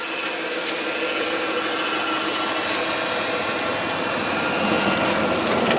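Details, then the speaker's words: Warmed-up 1996 Chrysler Sebring Convertible JXi, 2.5 L V6, four-speed automatic: steady, smooth, even idle with no ticking or knocking; normal idle. "Still no check engine lights, smooth idle, very very very nice running car."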